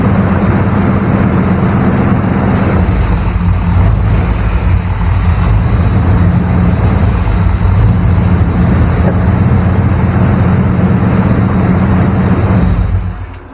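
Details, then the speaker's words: 1994 Chevrolet K1500 Blazer idling too high, around 1500 rpm: fast steady idle that never settles, then cuts off; vacuum leak not found in one spot, owner suspects the throttle body base gasket and found a loose bolt. "doesn't seem to be in any one particular place so i'm thinking it's the gasket that goes under the throttle body"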